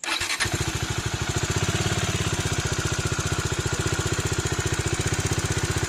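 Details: 2019 Bajaj Dominar 400 single-cylinder idling with a sharp, steady tapping about three times a second over the exhaust beat; engine knock/tappet noise resolved under warranty by replacing the camshaft and rocker arm.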